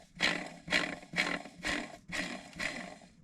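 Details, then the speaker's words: Jeep Wrangler transmission throwout (release) bearing spun by hand before engine reinstall: six rough gritty grinding surges, about two per second; bearing is worn and being replaced with a new one. "oh no i gotta change the throat bearing first on the transmission i should probably do that before i forget"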